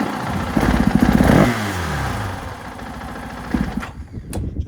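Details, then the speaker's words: 2024 KTM 500 XW-F on stock ECU and emissions setup: a sharp throttle blip rises, then sags and stumbles as revs collapse; flames out on sudden throttle, Vortex ECU planned as the fix. "barely turn this rod on flame [Applause] down you hear that stumble in [Applause] there yeah it does that when you're riding it too if you whack this"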